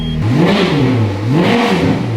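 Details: Ferrari F430 V8 ex-rental with rebuilt engine, no exhaust fitted, restarted after unexplained move-and-stall: two crisp blips rise and fall cleanly to a smooth even idle with no misses or clatter; engine sounds healthy.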